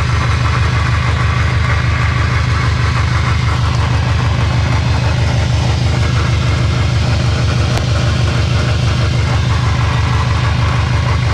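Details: Subaru STI 6-speed gearbox/transfer case, car jacked up after a loud drivetrain noise: a steady pulsing low drone with a rough hum as the raised drivetrain turns. A bearing failure is suspected but not confirmed.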